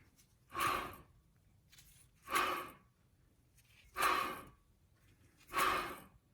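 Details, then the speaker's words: 2009 GMC 1500 2WD front hub turned by hand during a brake job: dry scraping swish about every 1.5 seconds, while the other side is silent. Worn front wheel hub bearing, just starting to get noisy. "You hear it? Making that scraping noise? Listen to this side. Nothing. Okay. So that means, well, we have a bad bearing."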